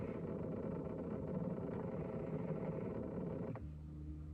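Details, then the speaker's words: High-mileage 2001 Lexus LS430 with engine off: low steady electric motor drone that then cuts out abruptly, owner suspects the seat moving on its own; never noticed before, cause unknown. "Car is turned off and the seat is just moving. That's weird. Is it the seat?"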